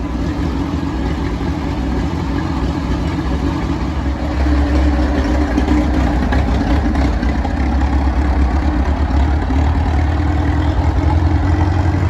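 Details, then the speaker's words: 85-year-old tractor idling hot after a new 3D-printed carburettor float and a rebuilt magneto: a slow, even low thump that lifts a little in speed but keeps a clean, regular beat. The engine sounds healthy. "But yeah, can't complain at all. Sounds like it runs pretty sweet actually."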